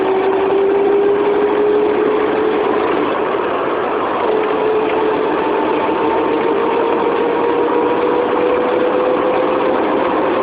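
A thin whirring tone climbs steadily in pitch as the engine pulls; a spinning noise under acceleration, source not yet pinned down. Cause suspected, not confirmed.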